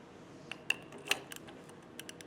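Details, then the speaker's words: Small automotive open differential, with crown and pinion gears rocked by hand during backlash adjustment after the side nuts were moved two notches to bring the crown gear closer. Sharp, light metallic clicks in uneven bursts; backlash is still excessive. "by doing that I have moved the the crown gear closer to the pinion gear and I've removed some of the backlash not enough you can still hear"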